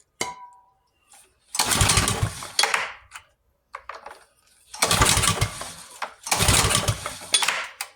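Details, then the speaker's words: Pressure washer with a rebuilt carburetor, choke on, air filter off, run without water: after a backfire it gives three short bursts of engine roar, each dying within a second. It runs only on starting fluid. "Oh, got a backfire. Come on. Maybe a little starting fluid. A lot of starting fluid."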